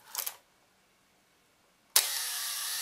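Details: Makina 67 Plaubel Nikkor 80mm f/2.8 leaf shutter after repairing worn cocking parts: sharp opening click, about a second of steady whir at slow speed, crisp closing click; fires cleanly.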